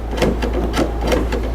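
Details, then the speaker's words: 2006 Jeep Liberty (KJ) rear tailgate that intermittently won't open. Quick dry clicks, about three a second, come from the latch as the handle is pulled without the gate releasing. The latch mechanism/actuator inside the gate is suspected. "the problem I believe is going to be right down in here in ins the mechanism and I think we can get this resolved pretty easily"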